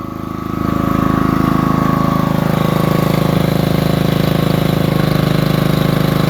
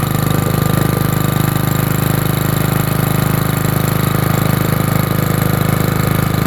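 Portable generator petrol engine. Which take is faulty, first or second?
first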